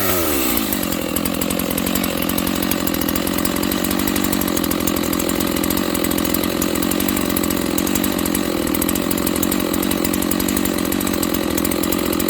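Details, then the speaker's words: Stock Dolmar 7300 chainsaw, high-speed jet opened fully to the limiters: revs up within a second and holds a hard, steady, high scream with no burble; sounds a little lean on the high-speed circuit, suspected, not confirmed. "I literally just opened the high jet as far as it'll go with the limiters. That sounds a little lean to me. How about you guys?"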